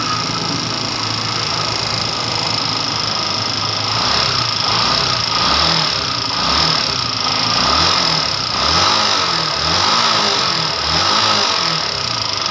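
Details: Honda TMX 125 that was hard to start because of a weak primary coil, converted to a battery-operated DC CDI; it ticks over with a steady, even putt and no misses or rattles. Normal, healthy idle.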